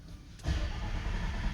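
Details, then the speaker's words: 2023 Nissan Frontier after a front-end accident, warning lights lit: the starter churns the engine over steadily but it never fires. Crank no-start. "that's what we get crank no start so uh I guess we're going to check for fuel and uh spark"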